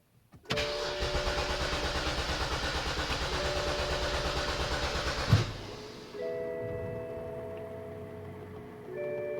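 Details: 2007 BMW X5 3.0si, intermittent no-start, owner suspects humid, rainy or cool days; mechanic's diagnostic found nothing. Starter turns engine over with steady even beats about five seconds, never fires: crank no start.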